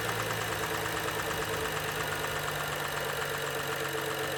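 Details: 2012 BMW 135i M Sport (F20/F21), N55 3.0 L petrol, 306 PS, 99,000 km: steady revving engine with a faint fast metallic knock underneath; engine bearing damage knock.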